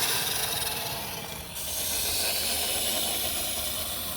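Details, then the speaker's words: Fleck 5600SXT water softener valve at the start of regeneration, as the cam depresses the center plunger: a soft rushing hiss rises suddenly, then holds steady as water flows into the 10-minute backwash. Normal. "it's getting ready to depress this center plunger. And now the water's starting to run."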